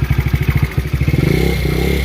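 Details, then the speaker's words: Chinese GY6 50cc scooter (Taotao Yamaha Zuma replica, about 2015-17), first run after new starter and relay: choppy uneven popping at low revs, hesitant climb on throttle; owner suspects a vacuum leak and sticking carburetor. "sounds like it has a vacuum leak somewhere but it is throttling up sounds like the carb is getting very stuck"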